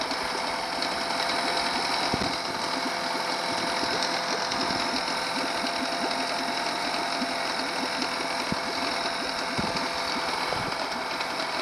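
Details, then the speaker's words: Honda 8hp four-stroke long-shaft outboard in water, throttle worked by a DIY Arduino servo speed controller: quick, busy mechanical chatter at steady idle with no speed swings or misses; running as it should. "see that pretty powerful engine there you have it there you have it"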